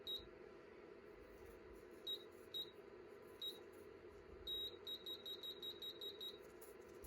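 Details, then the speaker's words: Anycubic Photon resin 3D printer during build-plate leveling, lowering Z in 0.1 mm steps: short high beeps, some spaced and then a quick run, as the Z-axis optical end-stop triggers near the bottom. "So we're going to push it down on there, and the beeping means the optical sensor has been triggered, which means it is close to the bottom."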